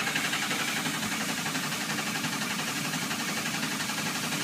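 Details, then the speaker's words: 2006 Ford Econoline 6.0 Powerstroke diesel, crank no start with no base oil pressure (ICP not building, IPR at 85%): fast, even cranking about four beats a second, hissy top end, never fires. "I have absolutely no oil pressure and you can also hear that when they don't have good oil pressure"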